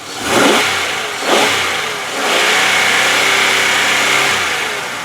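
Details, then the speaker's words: 2004 Pontiac Grand Am GT, 3.4 L fuel-injected V6, revved in a walkaround: two quick blips then a held rev settling smoothly, no valvetrain noise or high or low knocks; healthy engine. "now of course you don't have to be a mechanic or a genius to figure out that sounds fantastic there's no valve train noise no um no High Rev knocks no low knocks"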